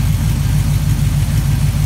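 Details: LQ4 6.0-litre V8 on its first bench start after the harness and headers were moved over, with 40 psi oil pressure: a deep, steady idle with an even low pulse and no knocking or ticking, so the bottom end sounds healthy.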